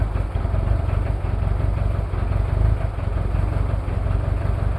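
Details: Toyota 2L-T diesel cold start after piston ring replacement without top overhaul: heavy, uneven low clatter with loping beat at idle, one injector not firing cleanly, possible cylinder head issues.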